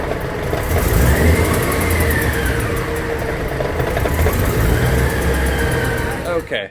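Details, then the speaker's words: After a new clutch and headers were fitted, the ticking was still there: a sharp tick about three a second rides over the engine and speeds up with the revs. It seemed to come from the same side, and the owner feared engine damage. "so at this point we were looking around for the noise and it was still there and it still sounded like it was coming from the same side so we were scratching our heads"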